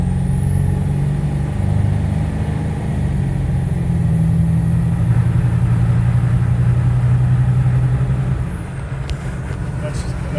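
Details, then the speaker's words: Ford 7.3 Powerstroke diesel with KC300X turbo and +25/+35 hp economy tune, after new up-pipes fixed an exhaust leak: clear high turbo whistle climbs over the diesel rumble on spool-up, then drops off, now louder and normal. "this definitely the turbo is significantly louder now because it's not getting choked up with that exhaust leak"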